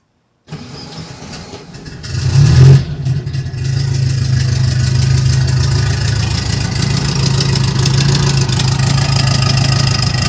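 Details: Turbo air-cooled VW Beetle with no boost, short run kept cool: starts and idles with a sharp ticking that speeds up on a brief rev; at first thought a misfire, it was a blown exhaust gasket, later replaced.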